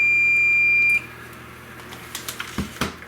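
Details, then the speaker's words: Sanwa 27Z21C 27" arcade monitor chassis (dead unit; open resistors, shorted transistor, blown vertical IC found): meter in continuity mode gives one steady high beep across pins, revealing a short of roughly 6 ohms across the pins. "However, if we go to the chassis, we have a short across a couple of the pins. I'll put the meter in continuity mode just so you can hear, but if we go across pins 1 and 2, nothing."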